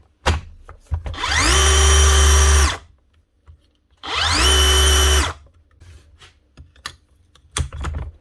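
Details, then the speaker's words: DeWalt DCH333 54V SDS Plus hammer drill after repair with new bevel gear, rings and fresh grease, previously grinding and not rotating when drilling; quick spin-up into a clean steady whine, no grinding, running normally. "nice one that's her up and running again one Dew dcit 333 SDS Plus 54 volt hammer drill with a new bevel gear fewel Rings butter grease washed out she's ready to go again"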